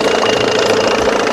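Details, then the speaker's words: 1987 Johnson 6 hp two-stroke outboard after fitting a smaller carburetor jet, mixture screw 1.5 turns out: steady, quick, even buzz with clean tone and no misses; running smoothly. "That smaller jet. Yeah, she sounds good."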